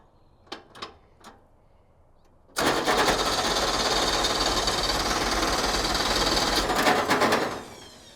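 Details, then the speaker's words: Ford Pinto wagon with stock long-block 454 and Comp Cams towing cam: starter spins engine evenly about three times a second for nearly five seconds without catching, then a kickback; crank no start, suspected no spark or no compression. "It acts like it has no compression anymore. Or has zero ignition."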